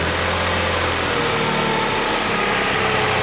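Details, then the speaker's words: Toyota 4Runner engine idling with the one-year-old original drive belt removed: smooth, quiet idle with no squeal or chatter, so the noise is belt related. "let's go ahead and start this engine see how it sounds without the belt and you see how quiet it is"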